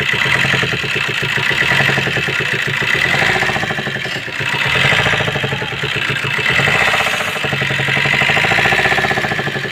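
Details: Suzuki S-Cross 1.3 diesel idling: fast, uneven light tapping about four per second over the clatter; valve train noise from a broken rocker arm.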